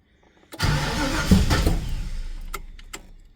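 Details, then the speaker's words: Ford Falcon XD with a 351 V8, on a freshly installed battery: the starter churns, the engine briefly catches raggedly with stray knocks, then dies; the owner suspects too much fuel given at the start. "There it is. What the hell was that? Do you guys hear that noise? It's like a gave it too much fuel. I don't think I need to give any fuel at all at the start."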